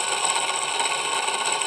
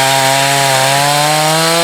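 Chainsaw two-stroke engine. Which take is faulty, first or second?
first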